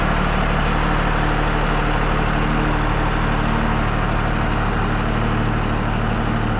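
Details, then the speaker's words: 1966 Loadstar truck idling outdoors before warming up to temperature: steady low idle with a loud, constant intake rush and the engine note carrying through it; owner finds the intake unusually loud at idle, cause unclear. "The air intake on this thing is super loud. You can hear the engine through it. It's kind of strange. You can hear the intake noise. It's pretty loud just at idle."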